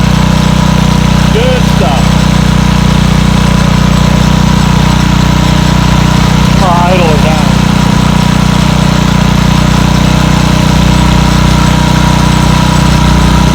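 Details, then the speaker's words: Montgomery Ward rototiller after a no-start repair, running with the air cleaner off: the small single-cylinder putters at a steady, even pace with no misses or surging; normal running. "That old girl runs real good. All right. Sounds pretty darn good, I think."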